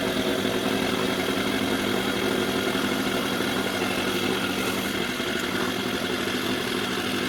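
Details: Mercury 4/5 hp two-stroke outboard, bought as a damaged no-start with a new carb, now running: idles fast and busy with a steady raspy buzz that never settles; idle speed set too high.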